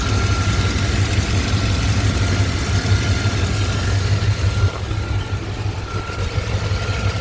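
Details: Chevy 5.7 TBI 350 truck, original engine with 206k miles, new spark plugs, fuel filter and PCV valve: a light, regular tick about three times a second at idle. The cause was a loose spark plug; fixed by tightening it.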